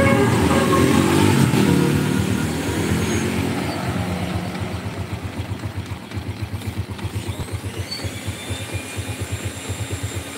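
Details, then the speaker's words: Yamaha Vega R motorcycle with a power complaint, engine just reassembled after inspection, before test drive: even single-cylinder putter about four beats a second, steady after an initial rev. Normal running. "ini baru tahap analis tahap cek dirakit ulang suara mesin sudahah ya kayak gini"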